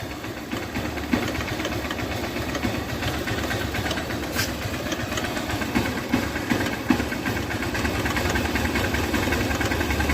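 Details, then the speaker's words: 2008 Hero Honda Hunk motorcycle, about 16 years old, cold idle: loose tick-tick over the engine, two or three a second; owner suspects piston or timing chain, cause unconfirmed. "तो friends यह जो टक टक टक sound आ रहा था यह वो साउंड है मुझे यह साउंड पिस्टन का लग रहा है या फिर टाइमिंग चेन का भी हो सकता है"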